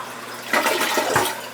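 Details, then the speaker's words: Toilet that would not flush down, with a toothbrush stuck in it, after removing it: strong rushing flush that swirls and drains cleanly in about a second, no gurgle or backup. Normal flush. "yep that's the sound we like that's the sound"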